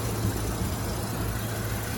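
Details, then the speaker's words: Dodge Ram 8.0L V10 idling: deep, steady, even rumble with no knocks or ticks, runs great; exhaust has slight popping from suspected holes, and only a valve cover gasket leak noted. "But this thing is solid, no knocks, no nothing. It runs great."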